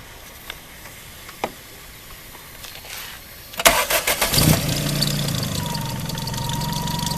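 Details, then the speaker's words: Tuned Daihatsu, before repair: starter cranks, engine catches, then a steady high whine rides over the idle; worn alternator bearing noise, confirmed by later bearing replacement. "You can hear the noise. So that's the noise I've been having."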